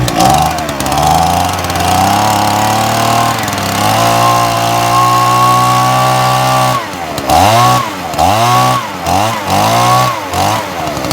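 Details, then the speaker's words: Old Echo two-stroke blower running on choke because the stop switch isn't yet connected, before planned carb diaphragm and gasket: steady buzzing idle with clean blips up and down; carb responds well. "i've got stuff on choke at the moment because the switch isn't connected i'm going to sort out now so it switches off so it's going to be worth me spending the money on that and you hear the carb is actually all right"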